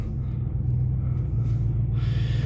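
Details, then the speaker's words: 1998 Ford F-150 extended cab with 4.6L V8, cold engine at idle: steady low rumble with an even, smooth beat and no knocks or misses; normal cold idle (owner notes a separate rattle around 2,200 RPM, suspects heat shield or catalytic converters). "Idle's pretty good. She is cold."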